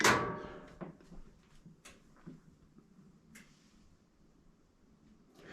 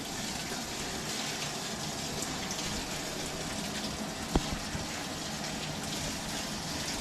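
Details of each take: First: Frigidaire laundry centre washer with clothes loaded won't start: a thump, then two relay clicks as the lid locks, then silence with no motor or water; technician checks wiring at the back. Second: Frigidaire laundry centre washer that would not start, only locking its lid, now repaired; on normal cycle, warm, medium rinse, steady rushing water filling the drum with no hum, clicks or strain.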